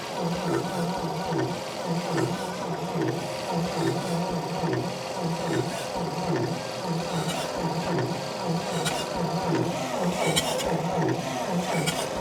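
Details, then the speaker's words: 1952 Dodge Power Wagon, unrun 16 years: slow, steady cranking with faint catches, never fires; owner suspects low compression, earlier wondered about flooding or lost spark; unconfirmed. "She wants to start so close. I think what I'm lacking is compression. She doesn't seem to be spinning too fast."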